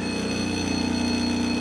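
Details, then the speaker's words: Vibration pump on a Profitec Pro 600 or Expobar Brewtus IV espresso machine during a pump noise comparison gives a steady, fairly loud buzz with a fast rattle as it shakes a glass resting against the machine; the Pro 600's pump is described as quieter and more muted. "it kind of rattles once the glass hits it so yeah the pumps a little a little noisier"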